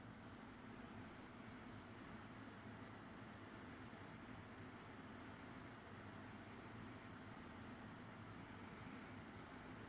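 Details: Fujitsu ASYG24 KLCA indoor unit No. 2, fan running: soft, even rush of air at steady speed, no rattles, ticks or whine; normal fan operation.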